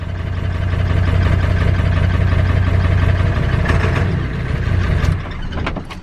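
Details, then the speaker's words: Ford Power Stroke diesel truck on its first start with the original cam position sensor and an eBay replacement injector driver module fitted. A loud, lumpy, uneven diesel beat that never settles. It ran perfectly once that IDM was removed, so the IDM is faulty. "the first start since the new camp position sensor or the old one I guess and also the IDM oh and it's running terrible"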